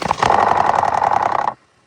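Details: 2018 Ford F-150 at start-up: quick, dense metallic rattle for about a second and a half, then it drops away; timing chain rattle suspected, not confirmed.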